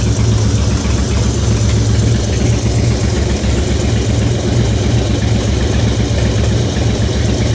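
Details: 2004 Harley-Davidson Softail FXST, almost 10k on the engine, ridden hard, HD Syn3 in all three fluids; loud lumpy V-twin idle with faint fast tick that began after recent fluid change; source not pinned down.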